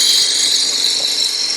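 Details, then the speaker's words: Lathe turning a 4x4x4 end-grain blank with a spindle roughing gouge: a steady, even cutting hiss with no tapping. The blank has been trued, so the cut runs smooth. "you can also hear it as you're cutting when it becomes smooth you"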